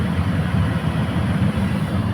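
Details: Maruti Suzuki Alto K10 AC blower, ignition on, at top speed: a steady, even fan rush with no rattle, vibration or knock, only motor sound. The reported noise at the last speed is absent; the motor is dusty and evaporator cleaning is advised.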